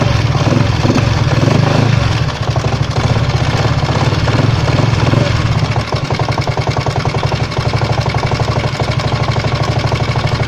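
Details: 139QMB scooter engine: a fast, even knock that keeps time with the idling single over a steady rumble. It appeared during a ride a few days earlier; cause unknown.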